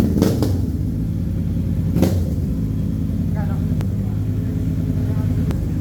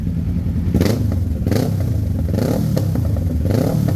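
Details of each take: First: Kawasaki Ninja 650 after the backfire-removal work: a deep, steady exhaust rumble with a couple of short blips and no pops or cracks on the overrun; it runs clean with no backfire. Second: Kawasaki Ninja 650 before the backfire-removal fix: sharp pops and cracks about once a second over a low engine rumble as the revs fall, strong backfire on deceleration at low rpm.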